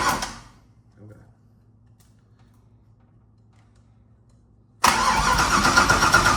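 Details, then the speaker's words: Freshly built engine first start: a short crank catches and settles into a steady, even idle with oil pressure present and no knocking or tapping. Normal start. "Sounds good too. It ain't knocking already. No, ain't knocking yet."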